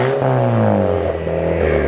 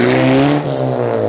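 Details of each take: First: Car with new downpipe, flex pipe and resonator-style test pipe fitted to cut exhaust drone, tips not yet fitted; revs climb and fall smoothly through blips, even note, no drone, rattle or misfire – normal revving. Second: Exhaust before adding the resonator pipe: loud, raspy tone dropping in pitch as revs fall, leaving a buzzy drone – exhaust rasp and drone without resonator.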